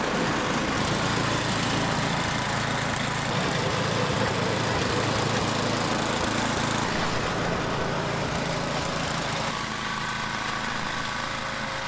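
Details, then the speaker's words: MTD/Troy-Bilt snowblower with Tecumseh small single-cylinder engine after cleaning a gunked-up carburetor and dirty gas tank: runs steady and even with no surging or misfire, sounds healthy. "totally gunk up and dirty and the gas tank was dirty but now it seems to be working okay"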